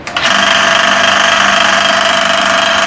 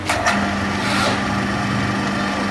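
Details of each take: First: Electric motor with a loud steady hum and a fast uneven rattle about three or four times a second that persists even after the belt was changed to a size 35 and reset; points to a loose motor pulley. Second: Belt-driven electric motor after tightening the loose, bent pulley (belt was too tight) and changing the bearing: a steady, even hum with one constant tone, earlier noise gone, no knocking or squeal; normal running.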